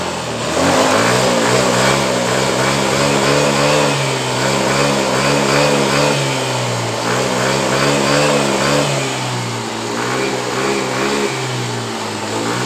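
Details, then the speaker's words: Yamaha Mio M3 scooter, started with fuel pump pressure at a normal 42 psi: idle normal, but under throttle it stutters and wavers in the middle and top; fuel pressure fluctuates, possibly a fault in the part just replaced, cause unconfirmed. "Tapi ketika dihidupkan motor ini, terasa brebet di bagian tengah dan di bagian atasnya."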